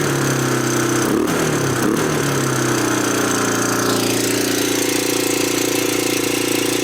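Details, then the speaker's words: 1987 Honda TRX250 Fourtrax ATV, no air filter, boot disconnected: fast, steady single-cylinder thrum stays high after an idle-screw adjustment; vacuum leak suspected, engine also sounds metallic and unhealthy. "it's still up there either we got a vacuum leak somewhere I'm wondering because that's usually what causes a hiatal like that"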